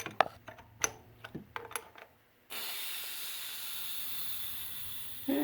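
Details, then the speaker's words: 1985 Corvette A/C converted from R-12 to R134a with new Four Seasons 58238 compressor: steady hiss of held pressure escaping as the compressor port seal is opened, showing the new compressor kept a good seal. "guess that tells me that my compressor has a very good seal on it"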